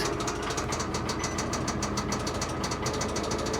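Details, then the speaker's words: Salvage-auction vehicle: sharp, hard, regular metallic knocks about three a second over the idle. Bottom-end rod knock. "And you had it 2 or 3 weeks, and the rods start banging."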